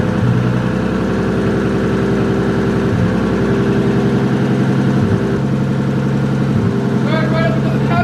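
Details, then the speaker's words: Freshly rebuilt forged 1.5JZ, first start after priming oil pressure with crank sensor unplugged, coolant not yet bled: steady, even idle with smooth exhaust beat, no knocks or ticks; running well. "camera died on the iphone now but it's running pretty good"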